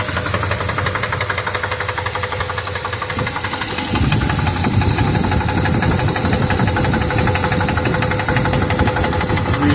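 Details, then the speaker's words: 1973 Ford F350 with 390 V8 after a new timing chain set and carb rebuild: rough idle with a regular deep knock, about three a second, heavier midway; deeper issue suspected, cause unconfirmed; engine knock at idle. "really hoping it was something else but oh man I can't think of any reason any reason whatsoever there'd be a noise like that under the valve cover"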